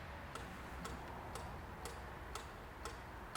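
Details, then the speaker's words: 2002 Renault Master 2.2 dCi, freed EGR valve with a diagnostic tool: faint, soft, uneven clicks about twice a second over a quiet hum, weak and getting worse before recovering louder; weak EGR valve actuator. "it's not clicking as much as it should it sounds very weak click it's still not right it's getting worse"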